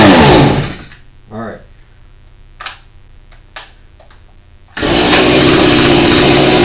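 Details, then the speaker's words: Stihl MS170 chainsaw with compression under 25 psi (needs about 90+): the small two-stroke buzzes briefly, then cuts out to near silence; it runs but won't rev and dies under throttle because compression is too low. "right so that's that's the issue it will run but the minute you go to give it power throttle it dies out"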